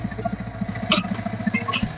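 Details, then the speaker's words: Yamaha R15 V3 idling, camera near the engine: a fast hard rattle that quiets with the clutch pulled and gets loud on release. Cause: broken teeth on the balancer gear. "उसके बाद clutch जैसे छोड़ देना है तो काफी ज्यादा गड़ ग लगता है। कुछ इसके अंदर में ढीला वगैरह या तो पिनियन टूट जाने का समस्या लग रहा है।"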